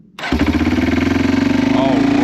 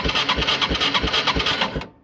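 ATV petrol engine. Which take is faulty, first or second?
second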